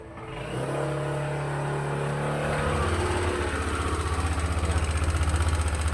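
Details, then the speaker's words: Yamaha Aerox Connected scooter that ran out of oil, with noisy running and handlebar vibration. It idles rough and pulsing with a coarse clatter about four beats per second, and sounds smoother at high revs once VVA engages. Cause unconfirmed. "Suaranya kemeletek."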